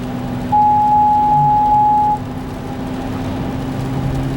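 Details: Car driving, front wheel hub: steady droning hum with a mid-pitched whine that swells for seconds and changes with speed; worn front hub bearing, passenger hub felt grinding with flat spots, both hubs replaced.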